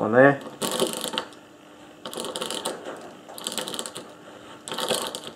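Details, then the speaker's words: Briggs and Stratton engine on old Webb cylinder mower, starter clutch turned by hand: bursts of light rapid ratchet clicking, normal; silent when running as pawls are thrown out centrifugally; earlier catching was from gunk, now cleaned. "and the reason it doesn't make that noise when it's when the engine is running is because they get thrown out of this face here first centrifugal force so it's perfectly quiet that's the way these work"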